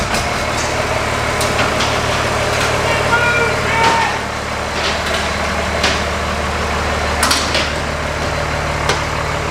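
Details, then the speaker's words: 2010 Ford F350 after a swap from the 6.4L to a 12-valve Cummins diesel, start-up and drive-off; steady deep diesel rumble with even beat and a few light clunks, truck lurches forward with torque, running healthy. "Because I put the foot down and like I hear THAT CUMMINS NOISE AND IT just it lurches forward."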